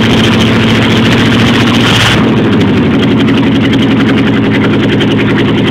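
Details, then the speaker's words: Jeep Wagoneer with AMC 360 V8, cold start in snow, idling unevenly with a thin high squeal that drops out partway; some belt dragging or squeaking, which belt is unknown. "all right well I got some kind of belt dragon on it I can hear squeaking so we're done"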